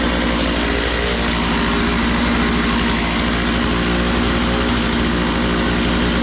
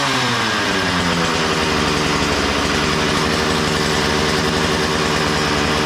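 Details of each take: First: Makita DCS 6401 chainsaw, unused for 10 years, now run with filter and bar: fast buzzy two-stroke idle with no drop-off; idle set way too high, so the chain keeps spinning off throttle; idle needs turning down. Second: Makita DCS 6401 chainsaw, unused for 10 years, after a new plug, fresh fuel and a cleaned tank and fuel filter: steady even two-stroke buzz at high speed, no misses or surging; runs well, though the kill button doesn't work.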